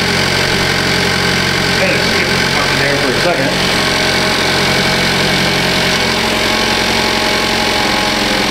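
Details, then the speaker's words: 2015 Cadillac ATS Luxury 2.5L GDI RWD, junkyard used engine freshly swapped in, warming up at idle with AC compressor on: smooth steady idle with light fast ticking over the hum; ordinary direct-injector tick, engine healthy. "That's all I hear. I hear the injectors. The engine seems to run really smooth."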